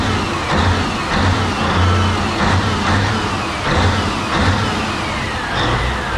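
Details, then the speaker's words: CAT 992D wheel loader 3412 twin-turbo spare engine on a test run, coming up past 60 with water lukewarm around 80-90°: deep, steady diesel roar under load with no uneven beat; zero blow-by, healthy engine. "we are coming up past 60 okay here we go in three two 1 80 that's a sound of horsepower right there"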